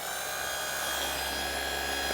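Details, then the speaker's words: Makita lightweight orbital sander with dust collector, plastic body, tests safe, run at variable speed. Smooth steady high-pitched whir with even buzz, no rattles or catches; sounds like brand new, normal orbital sander operation. "that sounds like a brand new one so I'm more than happy to hang on to that one"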